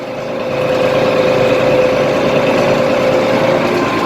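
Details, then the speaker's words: IH 1586 diesel tractor after injection nozzle removal and reinstall, hood off: steady, even drone with no tick over it; the earlier ticking sound is gone after the fix, running smooth. "Sounds good. I'm not hearing that stinking tick anymore. The ticking sound."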